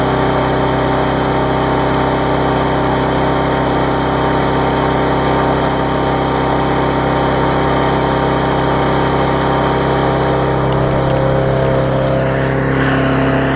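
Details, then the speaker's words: Yard Machines mower after tune-up (auto-throttle unbent, carb diaphragm, air filter, oil change, blade sharpened), possibly flooded from tipping: steady clean buzzing drone, no surging, burning off excess fuel with some raw exhaust; normal running. "so it was running it had a quite a bit of fuel to burn off there admit it a little bit of raw exhaust out there"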